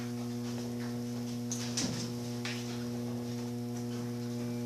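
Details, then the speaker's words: Electrolux 7.5 kg automatic washing machine that agitates only one way: steady low electrical hum with no agitation strokes as the motor fails to turn one direction, traced to a broken capacitor wire. "liguei para meus amigos parece ter problema mesmo não adota um cam do ranking mas não tá girando"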